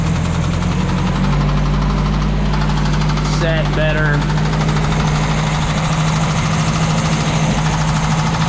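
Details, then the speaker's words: 1986 Mazda B2000 idling after a compression test, with Marvel Mystery Oil and a new valve cover gasket: a heavy, deep, steady slapping rod knock over a rough idle, ending in a thrown rod. "well I pulled it out of the garage and I was letting it idle and uh we've got a pretty pretty big problem here uh threw a rod right through through the"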